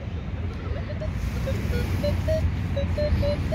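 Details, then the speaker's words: Minelab Equinox 800 metal detector chattering with erratic short beeps at shifting pitches and no target, overloaded by too much metal; lowering sensitivity suggested as the fix. "no es porque tu detector está loco es que simple y sencillamente están detectando demasiados metales y la computadora está sobre saturada entonces por eso se escucha así"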